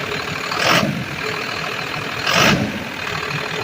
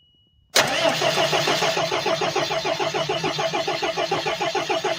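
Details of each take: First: Ford F700 fuel truck, intercooled 6BT Cummins diesel, after replacing the fuel pump solenoid. Steady diesel clatter with two brief revs, no knocks or misses. Runs normally, though the throttle is hanging up slightly. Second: Ford F-700 with an intercooled 6BT Cummins, cranked after replacing the fuel pump shutoff solenoid: steady starter grind with even compression pulses and no catch; the fuel filter needs changing and the fuel system needs priming.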